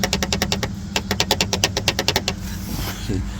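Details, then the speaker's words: Mazdaspeed 6 transfer case half (input) shaft worked by hand; quick sharp metallic clacks, about eight a second; loose play causing suspension-like clunking, suspected source. "it's not supposed to make that noise. So, I believe that's where the issue is coming from from that half shaft right there."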